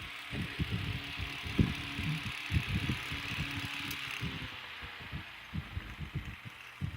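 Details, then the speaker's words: Antique electric fan run at about 80 V: irregular low clattering roughly once a second over a steady motor hum; the guard cage is loose on its clips and rattling. "and some of that rattling is because the cage is loose like I said I have to tighten these clips"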